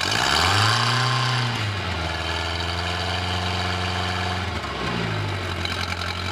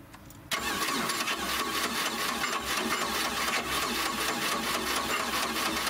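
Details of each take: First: 1986 Four Winns 170 Horizon boat, 3.0L carbureted MerCruiser, first start after winter storage: needs some cranking to fill the carburetor, brief flare, then a steady, even idle with a smooth low hum and no knocks or misses. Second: 1986 Four Winns 170 Horizon with 3.0L MerCruiser, first start after winterization, carb primed with a few pumps: starter grinds on steadily with quick uneven beats, almost catching but not running. Fuel pressure possibly not yet built. Extended cranking, slow to start.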